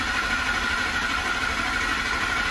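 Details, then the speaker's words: 2007 Ford F-150 5.4L 3-valve with cylinder 2 misfire (P0302) during a relative compression test: fast, steady cranking with no uneven slowdowns, all cylinders even at zero percent, so compression is healthy and not causing the misfire. "it cranks nice and fast that feels a little inconsistent but it sounds good now we're good all the way across zero percent so they're all even"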